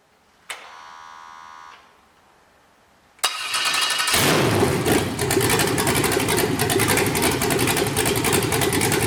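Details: 5.3L LS truck engine, early cable-operated throttle, on MegaSquirt 2 with newly wired stepper idle air control: brief crank, silence, then catches into a busy idle that wavers instead of holding steady while IAC settings are tuned.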